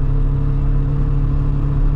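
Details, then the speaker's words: Corsa B GLS 1.4Si four-cylinder petrol on a cold day, driving uphill under load; rough uneven lumpy rumble running on three cylinders, owner hopes a failed coil pack is the cause. "if it was on four cylinders it would be four cylinders would be flying up the hill be gone by but it's not it's just running and very three all the time"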